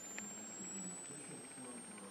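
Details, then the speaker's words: Simple pulse motor run on 1.5 V AAA battery (built for 5 V): faint thin high coil whine climbing steadily in pitch as rotor speeds up until the LED goes out; cause unknown, perhaps needing diode or resistance change; coil whine rising in pitch. "there's a noise from the coil which goes higher in Pitch it goes higher and higher until the light go out"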